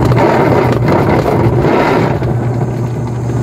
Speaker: Kapag ganito ang issue ng inyong washing maingay malamang gearbox yan. Ayan pag ganyan gear box yan.